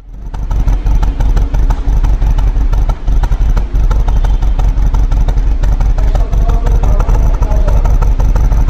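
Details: Audi A4 2.0 TFSI idling with an uneven, lumpy exhaust beat and irregular pops; misfire with suspected over-fuelling, cause unconfirmed.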